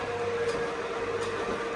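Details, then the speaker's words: Sommer roller door control panel learning door travel time by running the door fully up then down: steady even mid-pitched motor hum without surging or knocking; normal running. "what it's doing is just timing how long the door takes to open and close. And once the board knows how long the door takes to open and close, after a certain amount of time it knows to stop sending power to the motor"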